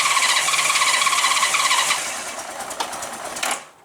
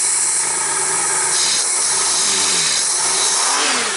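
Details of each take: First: Honda GL1500 Goldwing after carburetor clean and accelerator pump repair, cold start at about 32°F, ice on windows, without choke; high uneven note for a few seconds then sags and dies; cold start needing choke. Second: Honda GL1500 Goldwing after carburetor clean with accelerator pump and idle fixed, not yet warmed up, shop about 60°F, on choke, earlier slight hesitation; repeated throttle blips about once a second, crisp clean pickup; normal revving.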